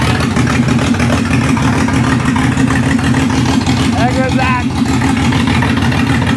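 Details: Ford Barra engine in speedway car, running on a 350 Holley carburetor on factory intake with distributor, just started: loud, lumpy, stumbling idle under a deep drone; owner suspects it's down a cylinder or two, plug wires to check.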